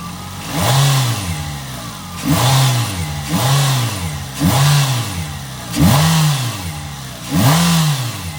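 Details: Nissan Altima, exhaust manifold crack checked for leaks: six quick throttle blips rise and fall smoothly, no ticking or puffing between them; engine revs cleanly.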